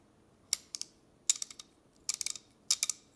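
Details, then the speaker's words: Craftsman 1/2-inch drive ratchet VP-44809 before maintenance, mechanism found dry with almost no grease: harsh, dry bursts of rapid clicks on each swing, gritty, with no smooth buzz. Dry ratchet mechanism. "just sounds awful being granted in the coat yeah very loud so that's what i'll be fixing today and as you can see this thing is honestly pretty dry there's like nothing in there"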